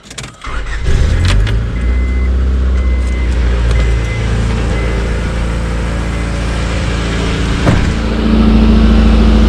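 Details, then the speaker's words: 1997 Honda Odyssey F22B6 started after a valve cover gasket replacement for oil burning. Engine settles into idle with a loose metallic rattle riding steadily over it, a terrible exhaust rattle; no oil leaks. "kind of get that exhaust fixed that's a terrible rattle I'm sure you could hear it"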